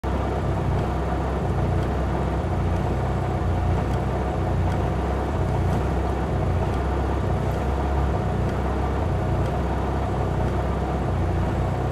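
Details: Mitsubishi Lancer Evolution MR RS engine at idle: steady, deep idle with faint irregular ticks and an uneven, lumpy beat underneath; rough idle.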